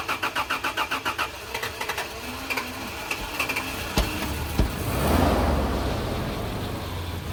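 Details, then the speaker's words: 80 Series Land Cruiser in cold weather, spark plugs just reinstalled after leak-down and combustion tests: quick, even cranking pulses, catches, then idles slightly unevenly but not rough; owner notes it sometimes sounds rough, and power steering whines. "I mean, sometimes the engine will sound rough. Right now it doesn't sound too bad. I mean, it's still idling a little bit weird, but it doesn't sound too rough."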